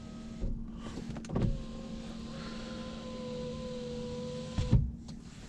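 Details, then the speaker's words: Saab 9-5 power window after silicone lubricant soaked into channels overnight: steady even motor hum about four seconds, no straining; much improved, ticking is window unsealing, normal. "is an improvement and windows have improved a lot so that's ticking noise also that is the window unsealing so that's fine"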